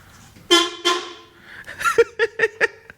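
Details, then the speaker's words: Horn test on a turbo Colt Vista wagon during first power-up after finishing engine bay and ECU wiring: two short bright honks then quick toots, clean steady pitch, sounds like a 90s TV car horn; horn works normally. "it's not a bad horn oh wait that sounds like a TV car horn from the 9s"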